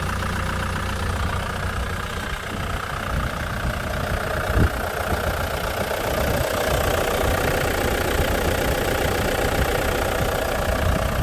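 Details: Ford Mondeo 3 engine idling with an uneven knock, roughly two or three a second, likely valvetrain; owner feared the worst but it turned out to be probably a failed valve, a simple cause.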